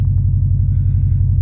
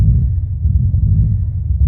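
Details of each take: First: Subaru WRX/STI turbo four, slightly cold, before fitting a blow-off valve, monitored on an Accessport with no knock shown: deep, steady low rumble with even pulses and no knocking or rattling; smooth, healthy cold idle. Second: Stock, untuned Subaru WRX/STI just started after a Tial blow-off valve was fitted venting to atmosphere with recirculation blocked: a deep, uneven idle that surges and stumbles. Rough idle from unmetered air.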